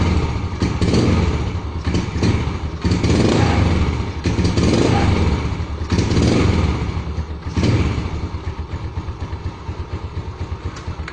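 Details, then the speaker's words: Yamaha Jupiter Z (around 2007) that won't ride and stumbles on throttle: repeated throttle blips that break up instead of climbing cleanly; fuel starvation. "kondisi pas dihidupkan itu jadi tidak bisa jalan atau di gas pun dia merebut ya"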